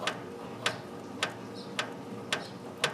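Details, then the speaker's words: John Deere 350 clutch adjustment, engine off: prying the ball joint linkage gives sharp light clicks about every half second as the clutch fork touches the throwout bearing, used to set the ball joint rod length. "Now there's a return spring that's returning it, but if you push a little bit harder, you'll feel a click and hear a click when the clutch fork touches the throwout bearing."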